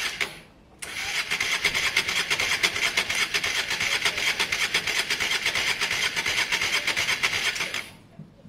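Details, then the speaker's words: Honda Varadero 125 on stand with a bit of choke, cranked during spark-issue diagnosis: steady quick starter churn with a few uneven catches, never fires; felt close to starting, not using fuel, battery dying; carb clean pending. "it really did sound like it was on its way it's not using any fuel at all the pipe is still fall but it really did kind of feel like it adds something there I would have liked to have heard it a little bit longer"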